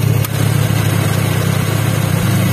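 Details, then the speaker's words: First-generation Honda Brio at idle, AC on after the compressor bearing was replaced: even, steady idle with no roughness, rattle or grinding from the compressor. "Nah, udah sembuh guys. AC-nya sudah halus lagi, matikan."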